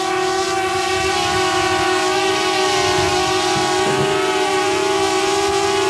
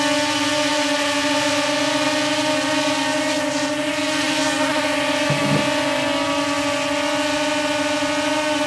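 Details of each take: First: DJI Mavic Air hovering on stock propellers, before fitting Master Airscrew stealth props: steady, piercing bee-swarm buzz. Loud, annoying high-pitched propeller noise. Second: DJI Mavic Air hovering on Master Airscrew stealth propellers: a smooth, steady hum, much quieter and lower-pitched than with stock propellers. Normal hover, though slight shaking was noticed.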